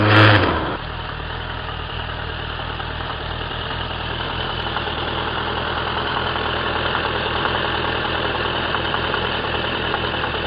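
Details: 2003 Suzuki Bandit 1200 (K3) with 29k on the clock, oil changed a month ago, at warm idle: light regular knock of about four beats a second, only when warm, unchanged with clutch pulled, inaudible under load; present nearly a year and worsening.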